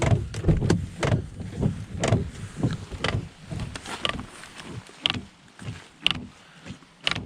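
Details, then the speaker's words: Volvo S80 (P3) with wipers on full: a hollow knock about once a second at the end of each sweep as the wiper arm strikes the A-pillar. Fixed by loosening the 15 mm arm nut and resetting the arm. "today's video we're going to be solving a very annoying problem with the s80 today and we'll be adjusting the windscreen wipers so it doesn't bash on the a pillar here i'll show you what i mean because it is infuriating to be honest"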